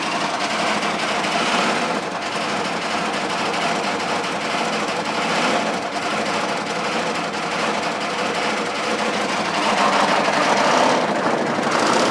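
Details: K3500 6.5 diesel at idle, throttle untouched, 45 psi oil pressure on cranking, smoke, blow-by, rising oil level: harsh fast clattering rattle about four knocks a second; owner suspects cracked piston, spun bearing or head gasket.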